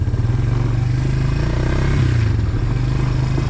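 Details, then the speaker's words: Suzuki QuadRunner 250 ATV, running after sitting about seven years, riding and shifting through gears: steady, even single-cylinder putter pulling cleanly without stumbles or misses; shifts smooth, no clutch adjustment needed. "moving she's smooth she's shifting nice and smooth"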